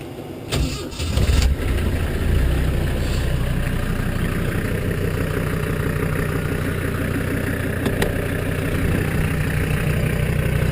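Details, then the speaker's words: 1979 Jeep CJ5 with Mercedes OM617 turbo diesel from a 1983 300D, homemade downpipe and shut-off valve; valve flipped to run, key turned, glow-plug light goes out; brief crank catches within a second into steady even diesel clatter at idle, no misses; normal start. "So right now it's in the off position, so to start it, you just flip it to run. Turn the key. Light goes out."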